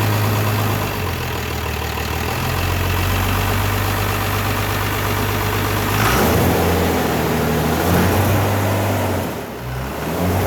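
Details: Cummins diesel with cleaned and retuned P-pump, restarted after priming fuel with electric lift pump: steady clattering idle with brief throttle blips, no hunting or stumbling; running properly, idle to be adjusted up, heavy smoke.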